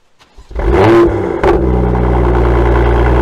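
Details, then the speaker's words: BMW M2 (N55) with M Performance exhaust, cold start after taping the exhaust tips with aluminum foil tape to cure a vibrating rattle: starter catch, sharp rev flare, smooth settling idle, vibrating noise now gone; normal cold start. "as you can hear the vibrating noise is now gone it's an easy fix"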